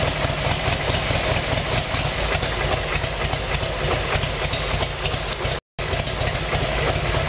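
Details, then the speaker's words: Harley-Davidson Evolution Sportster after carburettor problem fixed, started cold on choke: steady, even V-twin idle with a lumpy exhaust beat, no misses, pops or backfires; sounds a lot better, running cleanly. Odometer possibly 267,000 km, swapped engine. "you okay what sounds a lot better"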